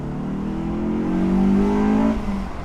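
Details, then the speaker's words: Honda S2000 on its first drive in 10 months, with new MaxPeedingRods coilovers, doing a VTEC pull: engine pitch rises smoothly and steadily under hard acceleration, no knocks or rattles. Normal engine acceleration. "Yeah, it sounds good. Does sound good."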